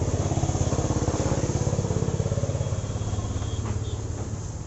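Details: Honda CB Trigger motorcycle: steady single-cylinder beat near three pulses a second with an uneven knocking edge over the exhaust; abnormal engine noise.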